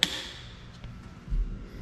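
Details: Newly wired garage circuit on a 125 A Siemens subpanel: a Fluke receptacle tester is plugged into the downstairs GFCI, the first outlet on the circuit, and its button is pressed. One sharp snap, then near silence; the GFCI trips cleanly as it should.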